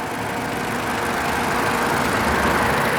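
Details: 2016 Toyota RAV4 XLE AWD, 24,000 miles, four-cylinder VVTi engine: smooth, even idle with a soft steady hum and no knocks, ticks or misses. Normal idle.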